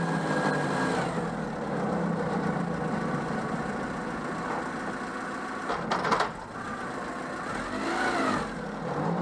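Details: Peugeot 104 GLS on stands, engine running with wheels turning: uneven whirring clatter rising and falling with the wheel, occurring only with the right wheel; the bearing has no play, no binding, and owner suspects slight wheel buckle.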